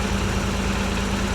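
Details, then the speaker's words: 1986 Nissan 300ZX, hurricane-flooded, running after missing computer replaced and corroded plug cleaned, first run in 13 years: steady, even idle, smooth low hum, no shaking, tapping or knocking; running cleanly. "I'm so jealous no tapping no knocking"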